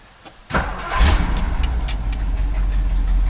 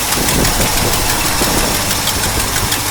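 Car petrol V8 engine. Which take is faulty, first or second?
second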